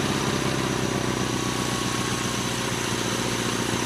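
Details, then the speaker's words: Gravely 8163-T single-cylinder tractor on a test run in fourth gear, a little heavy: quick, even thump at a steady level, everything working normally. "like everything is working all right that was fourth gear she's a little heavy"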